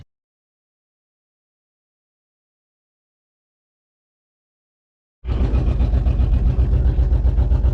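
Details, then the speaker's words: Junker truck with a swapped intake, recently overheated badly, before a leak-down test: silent, then a loud, raw, deep exhaust blat pulsing about four times a second because the muffler fell off; open, leaking exhaust. "My freaking muffler fell off. I don't even know if y'all can hear me right now."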